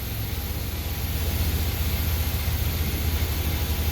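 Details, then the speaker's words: 1989 Pontiac Bonneville just after fuel filter replacement, run to confirm it holds fuel pressure: steady low idle with even pulse, no knocks or misses; normal smooth idle. "let's start it up we'll let it run for a few minutes make sure it can keep its fuel pressure"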